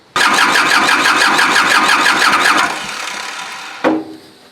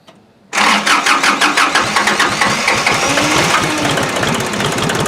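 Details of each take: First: Kubota L2350 diesel tractor with water in the fuel, bleeding the injector lines: it cranks about three turns a second for 2.5 seconds without firing, no glow plugs used; no start from air in the fuel lines. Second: Kubota L2350 tractor diesel after water found in fuel tank, system cleaned, new fuel, injector lines bled, preheated: silence, then catches quickly and settles into a steady even clatter of about three beats a second; starts clean.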